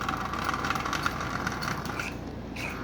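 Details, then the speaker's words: Marx 1666 toy train locomotive motor, unrun for likely decades, just oiled on the output shaft, running on track: thin, uneven buzzing whir with rough rattle and clacker; stiff, tight motor needing lubrication and running-in. "give it a quick turn this motor is really stiff and we'll put it on the inside rail and see if this will run so turn the power on and get this out of the way alright power is on while this thing is really tight as you can see"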